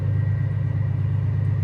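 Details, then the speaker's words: Quarry machine diesel during clutch pack calibration, transmission oil above 68 degrees: engine revs itself up automatically, steady deep drone at raised revs with no knocks or rattles while it learns clutch biting points; running evenly. "and you can hear now the machine's revved itself up. Calibration's in progress."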